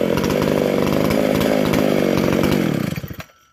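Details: Vintage McCulloch SP125 two-stroke chainsaw with 36 inch bar, after fixing a large carb-to-intake gap; clean steady high pitch at full throttle, dropping off crisply on release; snappy, normal revving.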